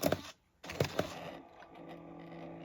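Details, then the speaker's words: 2005 Apple iBook A1134 (14-inch, 1.42 GHz PowerPC) DVD drive with a clean film disc: sharp repeated clicks and ticks as it tries, then a steady whirr once it spins up; drive struggling to read but eventually plays. "That doesn't sound too healthy. It's definitely trying. And that was a clean disc as well."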